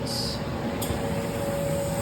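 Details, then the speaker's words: Laser cutter air assist turning on after raising the air pressure setting to clear a 'low or unstable air pressure' error: steady even rush of air with a faint constant tone; running normally. "you guys hear the air just turned on"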